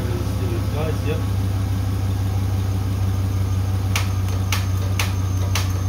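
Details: Holden 4.2 L 253 V8 on an engine cradle, first start after rebuild following 25 years sitting, fuel poured down the carburetor: low, uneven idle with an irregular stumbling beat; running rough, with fuel issues and an overheating, burnt-out ignition coil found.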